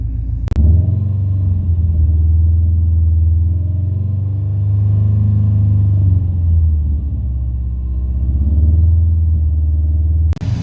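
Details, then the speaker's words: Subaru STI with freshly built engine during first-start break-in at 2000-3000 rpm: deep, steady low rumble with slight speed drifts; healthy, no leaks seen, smoke thought to be dropped coolant burning off. "other than that like everything is checking out great the engine seems very healthy"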